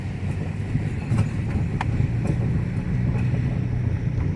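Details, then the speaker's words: 2018 Toyota Etios 1.5 driven over dips in asphalt, body flexing; sharp, scattered clunks and clicks on both sides over low road rumble, absent when steering at standstill; front suspension clunk over bumps. "Aqui galera, o barulho só faz quando a gente pega um declive no asfalto, tá? O carro faz esse movimento assim, ó. Aí ele dá o estralo dos dois lados da carroceria."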